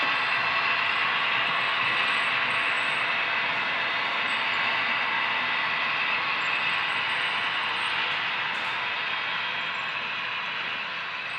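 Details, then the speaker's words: HO scale GP35 model locomotive 2821 running on a DCC layout: a constant high squeaking chatter of about four ticks a second over the running gear, a mechanical issue in the drive unrelated to the sound decoder. "sounds like 2821 is still in the game squeaking mode yeah that's some kind of mechanical issue it has nothing to do with the sound decoder"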